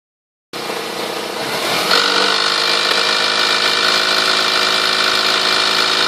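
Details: 1998 Toyota Sienna revving 2000–4000 rpm: harsh, buzzy rattle that persists at higher revs, heard strongest from the manifold and beneath; car otherwise runs great, cause unknown.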